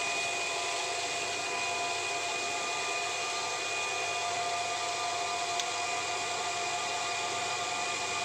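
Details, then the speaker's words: Automatic household water pump after replacing the spring check valve that let water flow back and kept it cycling: steady even whirring hiss with faint constant whine, quiet — normal pump operation after repair. "ใช้ได้ตามปกติครับเงียบคลิปเลยครับไม่มีเสียง"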